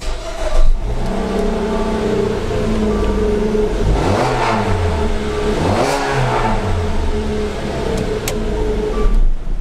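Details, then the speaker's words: 2.4 MultiAir petrol engine restarted after replacing the ignition coil and clearing P2300-series coil circuit codes: runs smoothly and evenly with a couple of brief revs, no longer misfiring. "definitely guys not misfiring anymore"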